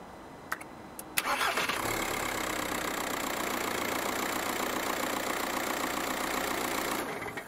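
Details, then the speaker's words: 2007 VW Golf Mk5 1.9 TDI after starter motor replacement for loud thump on hot restart: brief crank, clean catch with no thump, even steady diesel idle; possibly worn mount noted. Normal start and idle. "that is starting much much better than it was so actually that could be the solution to that noise that problem"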